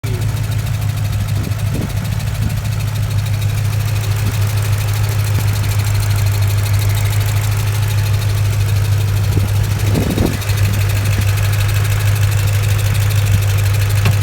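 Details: 2006 Ford Mustang GT V8 idling with a deep hum and light fast ticking from what seems the driver side cylinder head, speeding up with rpm; owner unsure, suspects valve springs, lifters, spark plugs or head.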